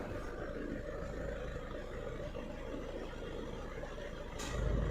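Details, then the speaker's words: Chevrolet Cruze diesel at idle, AC on with blower at 4: the compressor stays off until the clutch pedal is pressed, then a click and a heavier idle as it cuts in. The AC works only with the clutch pressed. "सुना आपने, cut करके compressor का आवाज़ आया। दबाने के बाद compressor on आया और वेंट में"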